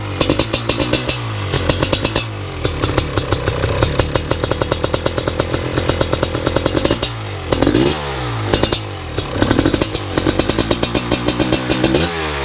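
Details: First startup of a BRC 500 engine kit in a 2015 Husqvarna TE 250 with SmartCarb 40mm billet carb, TPS and PowerCDI ignition. Crisp single-cylinder firing settles to an even idle and rises cleanly with each throttle blip; engine running healthy.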